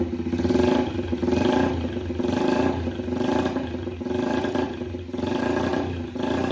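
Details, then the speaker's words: Yamaha TTR 90 after top-end rebuild, airbox off, idle raised: single thumps unevenly and surges hunting for fuel, improving as the air-fuel screw gives more mixture (lean). Smokes a good amount from the exhaust. "So, it once I screwed the more I screwed the air fuel screw in, the more it liked it. So, it wanted more fuel."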